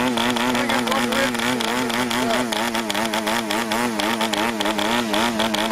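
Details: Brand-new PAW 40 TBR model diesel on its first run, break-in fuel mix, 12x5 prop, clamp mount: high buzz wobbling unevenly instead of holding steady; running rich and under-compressed.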